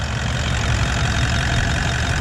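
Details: Toyota 79 Series Landcruiser 1VD V8 diesel at idle after the water pump with failed bearing (initial harmonic rumble) and thermostat were replaced: smooth, even idle, steady low rumble, noticeably quieter, no bearing growl or whine from the front; normal idle.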